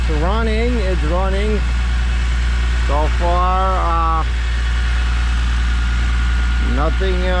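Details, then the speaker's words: E46 BMW M3 first start after a failed CSL airbox dropped pieces into a cylinder, redesigned airbox fitted: steady even idle, valvetrain sounding normal with no ticks or knocks; healthy. "uh OD I'm hearing valve TR valve train seems [Music] uh bit um have a normal [Music] sound"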